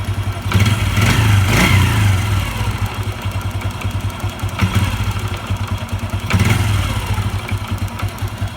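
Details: Honda Revo 110 (old Revo "jangkrik"), small single idling and blipped: uneven clatter that comes and goes, worst after revving and releasing, sometimes valve-like; worn clutch basket knocking suspected.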